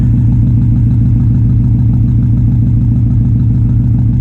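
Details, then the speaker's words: 2004 Subaru WRX, ran fine the day before, check engine light now on: rough lumpy idle with a steady tick of about two per second heard from the exhaust at the rear; owner suspects head gasket or turbo seals, cause unconfirmed. "turned it on today, and I noticed it was idling like shit, and you could hear it. You could hear the tick out the back."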